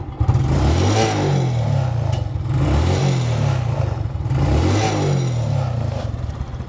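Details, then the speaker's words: Smash 115 motorcycle single after a tune-up setting valve clearance: revs up and drops back in smooth waves, quiet, no valve tick or clatter; normal revving. "Tune up. Tapos check nyo yung kadena, kung ano-ano pa. So yan guys, tahimik na. Birit lang natin."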